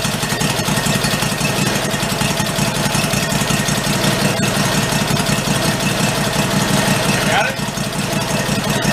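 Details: 1991 Craftsman GT garden tractor, single-cylinder, revived after fuel was added and the carburettor primed: steady, even putter at idle with no misses or knocks; runs healthy.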